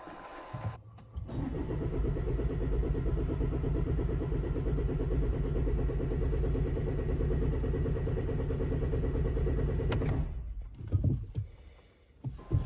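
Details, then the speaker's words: Range Rover Evoque cranking steadily for about nine seconds at roughly three and a half beats a second but never firing; fuel system airlocked after a fuel filter change, in-tank lift pump not strong enough to clear it. "if your range rover evolved water starts after changing the fuel filter it may be air locked and here is what you need to do"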